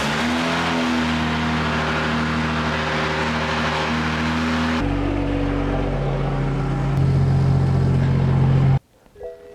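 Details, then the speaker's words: Custom E85-tuned, full-bolt-on 2013 BMW F30 335i N55, towed in with an axle sheared inside the differential: very loud, rough rumbling idle shifting pitch, then abrupt cut-off; hard starting, suspected due to E85, extremely loud exhaust. "so we have some difficulty starting I'm pretty sure he's on E85 that's why"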